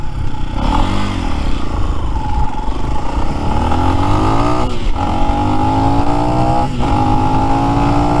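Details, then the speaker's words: New Lifan X-Pect single-cylinder bike, under 100 miles, breaking in on AMSOIL break-in oil, stock with 15/46 sprockets: pulls smoothly through the gears, pitch rising with dips at shifts, running clean and even. "still running great"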